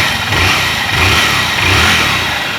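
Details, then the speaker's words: 2014 Honda Fan 150 single revving cleanly with no slap or rattle after rebuild; the earlier knock was piston skirt slap. "Olha aí galera, como a batidazinha tá perfeita. Só era o pistão batendo saia."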